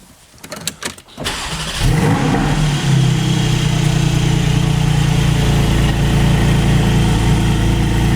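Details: GT4 engine after installing a lightweight AntiGravity battery with lower amp-hours than the original: quick crank, clean catch, then a steady, even idle with a smooth low hum and no misses or knocks; normal start and idle.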